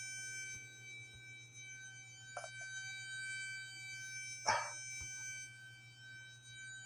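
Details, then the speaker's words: Toy or gadget taken apart after it was dropped while plugged in, with a part ripped off: constant thin high-pitched whine of several steady tones, also coming from its bulky black plug-in adapter; likely coil whine. "God that's such an awful sound you guys like what H and that was coming also coming out of the black box that plugs"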